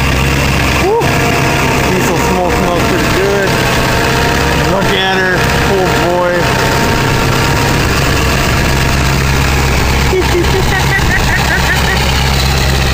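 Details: 2000 Ford 7.3 Powerstroke diesel cold start in 7°F Wisconsin weather (about 10 above said): deep steady clatter holding an even beat, no hunting or lope, white smoke; normal cold idle.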